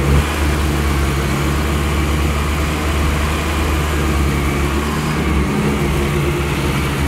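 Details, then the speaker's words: Mk1 VW with swapped 2.0L 8v engine, first start, oil pressure around 4 bar, temporary radiator, standard throttle body fitted: steady deep idle with slight hunting, uneven beat; not idling 100% until ECU remapped. "But it's not idling 100%."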